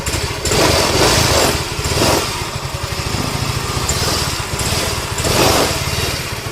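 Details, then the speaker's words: Motorcycle single-cylinder engine just rebuilt with new block and cam bearing, started on test without full bodywork: light, steady beat with gentle surges, quiet with no knocking or rough rattle, no white smoke; normal idle after repair. "Bismillah kita hidupkan dulu macam biasa. Okey hidup macam biasa. Alhamdulillah senyap. Mantap."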